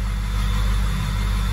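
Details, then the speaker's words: 6.0 Powerstroke diesel after unplugging shorted faulty ICP sensor: fires right up, steady even low diesel rumble at idle with no misses, knocks or surging; normal idle. "So now that the ICP is unplugged, now I'm gonna hit it back. So we got 49 volts, pick them. Fires right up."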